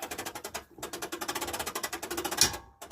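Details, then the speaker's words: 2005 Fleetwood Niagara pop-up camper lift crank after the top fell: fast even ratcheting clicks, about fourteen a second, in runs as the crank spins back on its own; internal brake mechanism worn out, crank being replaced. "see if I let it go bring it out here so the brake mechanism on the inside is shot that's what we're going after now"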